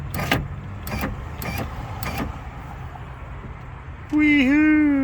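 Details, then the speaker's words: 2008 Nissan Armada driver-door window, after replacing the motor and regulator: a few clicks, then a smooth, steady motor whine lowering the glass evenly, dipping slightly under load; motor and regulator sound great. "motor sounds great regular regulator sounds great well pleased with this operation"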